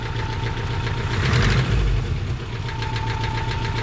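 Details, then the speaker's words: Subaru BRAT original engine before swap, rough idle with loose uneven knocking and chatter about three or four per second, suspected rod knock, cause not confirmed. "in the last episode we heard old Wayland say that sounds like a nod rocket to me"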